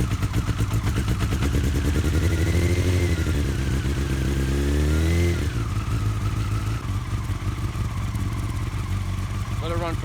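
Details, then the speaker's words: Honda FireBlade four-cylinder in revival, first proper start after fixing no-spark and bypassing the kill switch: catches and settles into a smooth, even idle with throttle blips, no knocks or misses; doesn't sound bad. "10 or 15 seconds doesn't sound bad there we go I can't believe it I got this thing running"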